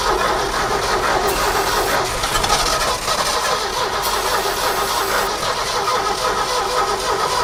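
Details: 1969 Ford F100 sitting 30+ years cranks steadily for several seconds without firing; distributor points not sparking consistently, so the points were cleaned and the old coil was to be replaced with a new one.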